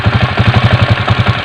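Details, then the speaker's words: Honda TMX 155 motorcycle at idle: rapid even clatter locked to engine speed, from a popped-out (dislodged) oil seal striking the engine sprocket, heard before the sprocket cover is removed to show the noise source. "Oops! May narinig kayo, may tumutok-tok, no? Nandito lang yung mga pre, buksan natin para makita nyo."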